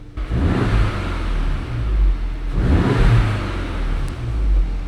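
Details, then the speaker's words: Mk7 VW Golf R EA888 engine revived after engine-bay fire damage, coolant low: two clean blips from idle rise and fall smoothly with no knocks, rattles or hesitation; sounds like a healthy stock engine. "sounds like stock engine."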